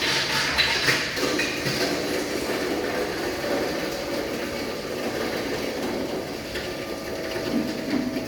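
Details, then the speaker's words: Hammer mill crusher with roughly 7–8 sieve screen crushing dried agro-waste (cocoa pod husk) fed one piece at a time. Steady, rough rushing grind with scattered rattles, no rhythmic knock; sound fades once material passes the sieve; crushing normally. "So biar bunyi dia sampai macam tak dengar macam tu, itu maksudnya dah lepas sieve lah."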